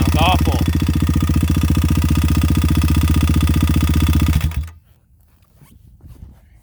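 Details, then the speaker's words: Kawasaki KLX351 dirt bike after trouble began on a hard ride; loud, rough, clattery thumping about four beats a second until shutdown, not sounding bottom end; suspected top-end fault, possibly failed stock cam chain tensioner, unconfirmed. "I really can't tell what that is. It doesn't sound like it's bottom end. If it's top end, that means our cam chain tensioner could have failed, which is bad, maybe good, because that's a stock part."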